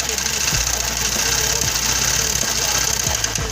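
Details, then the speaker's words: 2008 Honda CG 150 Titan motorcycle engine still knocking after cam chain replacement, clutch cover removed: sharp metallic knock growing harder on each throttle blip; traced to connecting rod despite no play measured, rod must be replaced. "Infelizmente, por mais que a biela não demonstrou ali, ó, no teste analógico ou nenhuma folga, infelizmente terá que ser substituído. Esse barulho tá vindo daqui, ó. E da biela aqui, ó, do enrolamento e da biela, ó."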